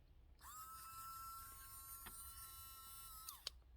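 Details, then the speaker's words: Small battery-pack-powered campervan shower pump switched on out of water: a thin, steady high whine for about three seconds, then wind-down, sounding weak; the pump is likely running dry with no load. "I don't know if you can hear that it doesn't actually sound that powerful um perhaps I shouldn't turn it on when it's not in water"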